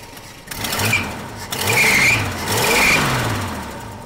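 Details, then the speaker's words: 1970 Dodge Dart old six idling steadily with gentle rise and fall, no knocks or misses, slight smoke, after getting it running on fresh gas with working fuel pump; sounds healthy. Normal idle. "Sounds pretty good. Sounds really good, actually, doesn't she? Awesome. A little bit of smoke, but not much. Just sitting there idling."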